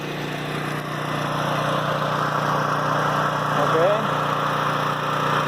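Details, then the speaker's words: Flotec shallow well jet pump on 1¼-inch PVC with foot valve, about 19 ft well point, generator droning nearby: steady unbroken hum at full flow with no hose nozzle and no air surging; earlier lost prime sucking air, now holds prime; normal running. "but right now we're pumping from the bottom of the well without a nozzle on the end of this hose"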